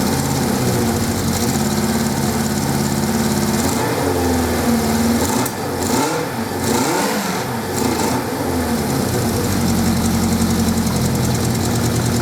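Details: 1979 Suzuki GS550E motorcycle, first start attempt after about five years laid up under a cover: engine runs on its own with a steady beat, revs dip and pick back up midway, then settles into an even run; normal running.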